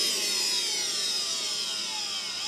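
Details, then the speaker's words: Mercedes M273 V8, 107,000 miles, secondary air injection pump unplugged and run on 12 V jumper leads, engine off: harsh vacuum-cleaner-like gritty whine from worn pump bearings; matches ~50 s bearing noise at startup; replace preventively or before check-engine light. "Hear the bearing noise? You know, I have to say that sounds a little bit like a vacuum cleaner."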